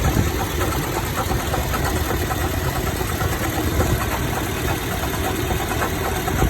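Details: 2014 Toyota Tacoma TRD OffRoad with a clunking noise only at idle or slightly above: a rough idle with dull clunks, briefly changed by toggling the AC. The AC compressor clutch and coil had melted and failed; replacing them removed the noise.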